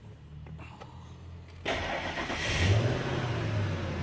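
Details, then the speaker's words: 2000 Ford F150 4.6 V8 with P0301 misfire code, started during scan-tool key-on and combustion tests: short crank catches quickly into a steady idle with no skip or stumble; no cylinder misfires showing at idle. "so what I'm going to do is start this bad boy up see what we got"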